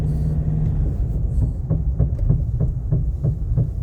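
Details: Nissan Navara D40: over a low engine rumble, sharp clunks repeat about three times a second from midway on; cause not identified. Clunking noise.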